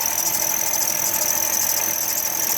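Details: Vehicle idling with failed transmission (no reverse) and possible power steering whine: steady high-pitched accessory belt squeal over the engine.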